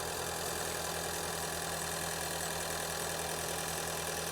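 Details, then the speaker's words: Ford Escape with intermittent misfire and check engine light, idling after spark plug replacement, no codes present: smooth, even idle with steady low hum, no stumble or miss; fixed, normal idle. "Yeah, I like how this engine sounds. This is fixed."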